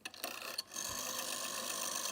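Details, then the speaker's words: 1970 GPO 746F MK1 red rotary telephone by Dennis Ferranti Meters, dirt on dial back plate and finger wheel: dry scratchy whirr for about 1.5 seconds as dial returns, sluggish and rough; slow, scratchy return needs work. "It's a bit slow, so that'll need a bit of work."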